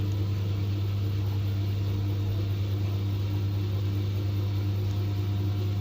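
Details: LG 10 kg direct-drive top-loader, about nine years old, after repairing broken part that caused loud motor-side spin noise: steady, even low hum, no knocking or scraping, drum spins smoothly and motor quiet; normal spin.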